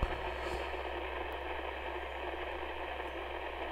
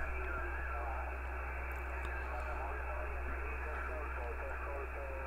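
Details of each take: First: HAM International Multimode II CB radio receiving, after freezer spray on C11 made little difference: constant hissing static, low hum and odd crackles instead of clean reception; unstable VCO, C11 capacitor suspected. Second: HAM International Multimode II CB radio after replacing capacitor C11 to fix VCO fault: steady narrow-band audio with faint distant European stations and low hum, no crackle or dropouts; reception normal, fault appears cured.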